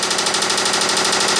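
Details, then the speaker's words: 2009 Subaru Forester 2.5-litre boxer with internal engine damage: loud, sharp metallic knock about eight times a second over the idle; engine knock at idle. "and as you guys can hear it's making a huge knocking"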